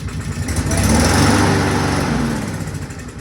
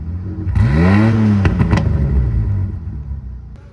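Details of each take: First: Engine with a freshly rewelded exhaust cranks in uneven chuffs, swells briefly, then fades without catching. The carburetor is suspected, and forcing fuel into it is planned. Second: 306 being fitted with a 3-inch exhaust (up from 2-inch), reassembled with air filter left off: engine catches, swells in one quick rev with rising-falling pitch and some rattle, then settles; runs normally.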